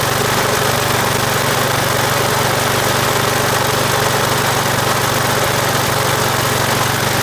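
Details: Australian-built Rover four-stroke mower, first run after clean air filter and spark plug (plug was oil-fouled from lying on its side, some smoke expected): fast, even single-cylinder beat with no knock or misfire; runs smoothly.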